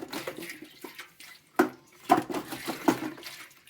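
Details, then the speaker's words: Well pump pressure tank with the pump power off and the system drained to 0 psi makes irregular water sloshing when shaken; the rubber bladder has failed and the tank is waterlogged. "Hear that water sloshing around? That's the bladder's going bad in this pressure tank."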